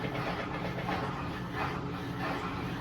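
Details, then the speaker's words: Electrolux LS15 washing machine after removing two small parts found inside, apparently causing loud spin noise: steady, even whir as drum spins up, no knocks or rattles; spin cycle normal. "Aparentemente tudo indica que o barulho era por causa daquelas duas pecinhas que tava lá dentro que até agora não fez barulho"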